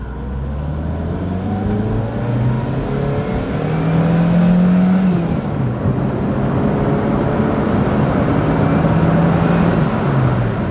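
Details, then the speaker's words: 1992 Fiat Tipo 1.4S petrol four accelerating on the road, partly downhill, under road and wind noise: engine note climbs smoothly through the revs, comes on cam and sounds willing, no misfire or rattle; normal healthy acceleration. "The engine, typical Fiat, it really seems to come on cam and sound willing and want to get on down the road."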